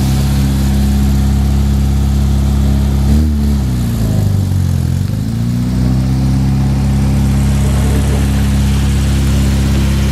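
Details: 1966 Triumph Spitfire MK2 after the misfire fix: engine now runs on all four cylinders instead of two, with a steady, even note that dips and picks back up with a brief blip, no stumbles; carbs still need tuning.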